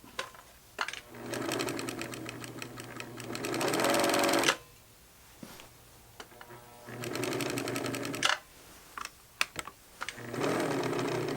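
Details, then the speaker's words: US-market Pfaff 807 sewing machine motor swapped into a German-market Pfaff 801, run before reassembly: buzzing whirr in runs of a few seconds over a steady low hum; the noise sounds odd, possibly just normal for these motors. "that noise sounds very familiar i don't know maybe it's just the noise these things make"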